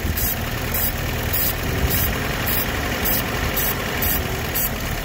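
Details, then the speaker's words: Opel GT, first start after sitting 25 years: engine holds a fairly even idle with light rhythmic ticking and no heavy knock; sounds basically healthy, normal idle. "but i'll tell you what that don't sound too bad i think we got a winner"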